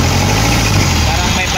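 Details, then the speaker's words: Mitsubishi Canter 4M50 diesel, hard to start, run on electronic cleaner: loud, uneven, lumpy idle; two injectors (cylinders 1 and 3) found faulty. Rough idle from faulty injectors. "Ayan kita niyo na maganda naman kung katihan pero kita niyo rin na palado ang makina"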